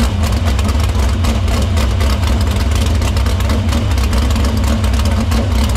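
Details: Dirt Silver Crown race car at a fast, lumpy idle in the shop after a fuel line repair, filter cleaning and fuel fed through the pump to the barrel valve. A loud, deep rumble fires evenly without sputters. Fuel system checks out: normal running.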